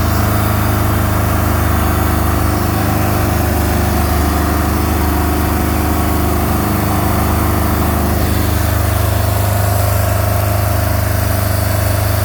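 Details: MerCruiser 3.0 boat engine at idle with a frozen, cracked block from improper winterizing: steady low chuffing pulse three or four times a second; suspected exhaust leak.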